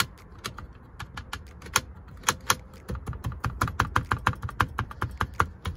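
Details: Ford F-150 with Raptor-style grille, while driving; sharp uneven plastic clacks several per second over low road rumble in the back seat area since Katzkin leather seats were installed; speaker box possibly sliding on Husky liner suspected; interior rattle.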